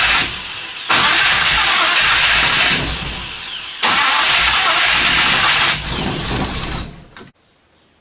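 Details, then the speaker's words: 1957 Chevy 210 project, rebuilt engine with carburetor accelerator pump squirting fuel and firing order checked: starter churns several seconds, never fires; crank no start from weak spark through cheap eBay plug wires, fixed by swapping wires. "apparently these really cheap spark plug wires off of eBay are no good I don't know what's wrong with them but they were not providing enough Spark to keep the thing running"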